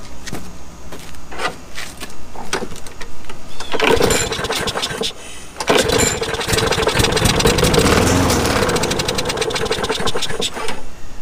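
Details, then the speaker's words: Neglected Craftsman 21-inch mower, 6.75 Briggs & Stratton: a few rough pulls, then it runs unevenly for seconds on a shot of carb cleaner sprayed in; ignition and plug work, so the carburettor isn't feeding fuel, clogged main jet. "we have a fuel supply issue i just shot some fuel with this thing so we know the ignition system works we know the spark plug works you can test that but if it runs with a little shot of this then you got a fuel issue"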